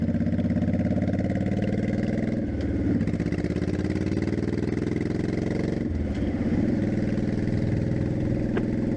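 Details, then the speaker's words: 2002 Honda Shadow Aero 1100 after carb kit (new jets, shims), GoPro audio riding at about 35 mph: even loping twin beat under road and wind rush, smooth through gentle throttle changes, no popping; healthy running. "But anyways, let's take it out on the highway. You can hear what it sounds like when it runs."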